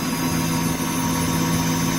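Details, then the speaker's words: PM25 CNC mill spindle with new oil-mist-lubricated bearings, stepped up to 5000 rpm after 20 minutes at 4000: steady even hum, constant tone, only faint bearing cage whir, not much; fairly smooth. "here to travel a little bit of the cage noise from the bearing not much but a little [Music] fairly smooth"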